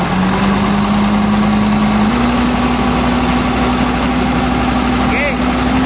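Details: Hino diesel truck with hard starting, low power, and reportedly only 40 km/h top speed: uneven, lumpy idle that lifts slightly but never smooths; misfire at idle, cause suspected, not confirmed.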